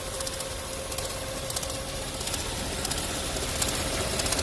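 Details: VW 1.4 TSI (BMY engine) idling: fast, uneven ticking rattle about four per second with faint steady tone, suspected as chain noise but turned out to be a failing water pump.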